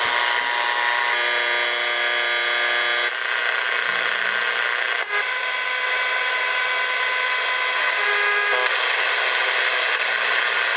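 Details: Interference heard on an AM broadcast band receiver near a TV setup: a steady buzzy hum of stacked tones whose pitch pattern shifts abruptly as the LCD monitor switches on, RFI radiated from the monitor.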